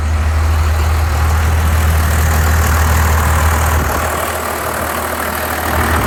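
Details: 1993 Dodge D250 with 12-valve Cummins diesel misfiring at idle: deep uneven thump about three per second. Injectors, lift pump, fuel shutoff solenoid replaced, valves adjusted, ran from fuel can, compression 400 psi all six; owner suspects injection pump.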